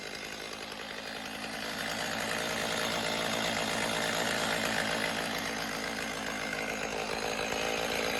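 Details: Stihl MS310 two-stroke chainsaw after repair, run on oil-rich fuel mix: steady buzzing burble at idle that builds slightly then holds even, no hunting or stalling; sounds properly tuned.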